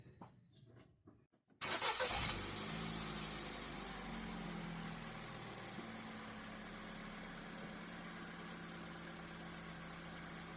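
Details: Ford Fiesta 3-door started in neutral for a charging check; battery 12.45 V off. Quick crank catches cleanly into a smooth, even idle with no misses or knocks; healthy start.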